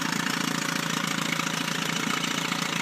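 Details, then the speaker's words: 1976–1980 Chrysler Sailor 250 10 hp long-shaft electric-start outboard idling in reverse after a fresh lower-unit gear oil change, seals good: a regular, even putter of about three to four beats a second with no skips or rattles. Normal smooth idle. "we're going in reverse control [Applause] you can hear it run really smooth"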